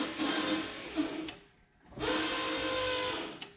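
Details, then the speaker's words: 1990 Ford Mustang GT, turbo 363 stroker Boss block, before first fire after a rebuild: two short even electric whirs as the fuel pump primes the rail; no fuel smell. "You'll hear it prime. Probably hear it going through the rail."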